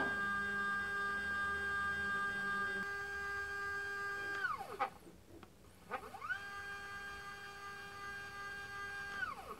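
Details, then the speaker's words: iOptron CEM40 mount after RA belt fix, powered up and slewed: clean electronic whine ramps up, holds and winds down with no grinding or knocking; belt-driven axis running smoothly. "smooth as butter as they say"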